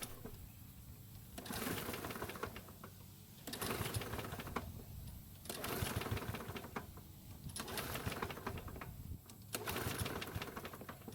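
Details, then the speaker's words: Curbside Toro mower, owner said it ran but smoked, oil topped up, non-stale fuel in tank: repeated pull-start strokes every two seconds, short rasping whirr, never catches; cranks but will not start. "so unfortunately the engine did not start which is kind of strange considering that the owner said it"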